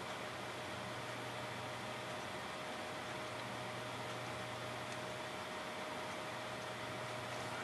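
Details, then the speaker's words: Clicking hard drive after swapping in a second controller board: faint steady whir with a thin constant tone, no seek ticks or clicks; platters spin but heads aren't seeking, yet drive shows as visible to the computer. "again I do not hear the hard drive seeking you would normally hear um the absence of clicks does not mean that the hard drive is actually doing its job"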